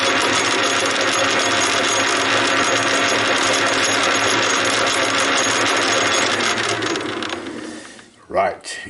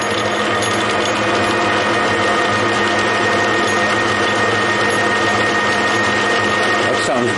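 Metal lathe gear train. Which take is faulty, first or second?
first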